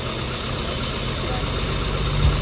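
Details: Normal petrol idle during a tuning demo covering spark plugs, compression and timing: smooth, even low idle with a steady beat and no stumbles or skipped firing pulses; running cleanly.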